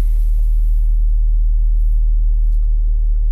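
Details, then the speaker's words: VW Golf 3 1.6 AEE petrol with LPG, fully cold start after replacing Valtek 3 Ohm gas injector rail (~70,000 km): deep steady low rumble at cold idle, evenly paced, no misfire or hunting, waiting for automatic smooth switch to LPG; normal cold idle. "Samochód jest całkowicie zimny. No to czekamy. Bez gazu, bez niczego, po prostu tak jak sobie chodzi, tak się przełączy automatycznie, bez żadnego szarpnięcia."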